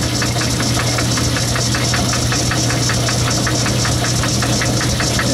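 Sharp clack repeating about three to four times a second over the steady motor hum, locked to spindle speed; a broken gear tooth.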